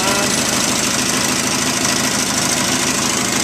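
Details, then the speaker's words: 1973 Terra Jet fitted with a replacement engine from a Craftsman lawnmower, throttle on a snowmobile cable and choke on the console: loud, steady, busy small-engine clatter with no misses or surging; normal running. "we're going to start it up here for you so you can hear it run"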